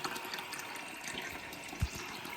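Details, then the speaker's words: Toilet with an Ideal Standard flush mechanism, after fitting a replacement disc to cure constant running, water back on: a soft, steady hiss with no hammering or squeal as the cistern refills through the float valve. Normal refill after the repair. "So, water's back on. As we can see, the cistern is filling up through the float valve."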